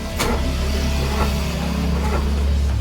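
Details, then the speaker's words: Mitsubishi Mirage won't start, having started the day before: single dull clicks about once a second, engine never turns over. Dead battery. "Wala na talaga yung baterya. Ayaw. Ayaw na no."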